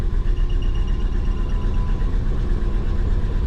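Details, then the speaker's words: Twin-turbo Subaru Forester just reflashed and refueled, start and warm-up, slightly smoky: lumpy, uneven stumbling idle like running on three cylinders; misfire suspected from fouled plugs or injector latency. "kind of sounds like it's running on three it's gonna sound mean"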